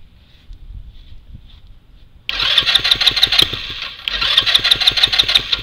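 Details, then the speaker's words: Spiderbox with standard GY6 engine: after pause, starter spins strongly about three beats a second on freshly charged battery, never fires; cranks but no start, owner suspects carburetor or rigid hard plastic fuel lines. "now what i want to know from y'all is why why does this thing not want to start up could it be the carb maybe the fuel line"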